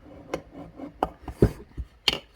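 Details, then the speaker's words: STIHL MS461 chainsaw crankshaft removed during bottom-end rebuild, bearing spun by hand: gritty, scratchy uneven rasping of a dead crankshaft bearing. "there you go there's your crank you hear that that's the sound of a dead bearing"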